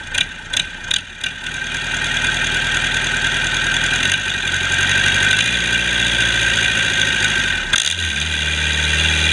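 A few starter knocks, then the diesel catches and settles into an even, steady idle with no knocks or misses.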